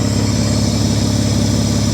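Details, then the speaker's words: Mitsubishi Diamante at 230K miles idling after tune-up: low, smooth, even idle with steady hum and no ticks or knocks, good cooling-system pressure, runs great; radiator cap leaking slightly. "real good pressure on the cooling system now i mean she runs great"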